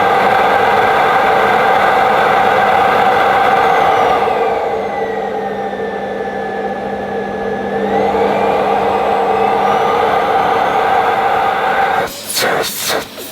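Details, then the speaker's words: Ufesa Zelmer 4-in-1 vacuum switched on for the first time, hose not yet fitted, power setting uncertain: loud, steady whirring roar with a hissing rush mostly from the open inlet, powerful and healthy suction. "I mean, it was loud, but I think most of the noise was actually coming from the inlet. You could hear the suction. Pretty powerful."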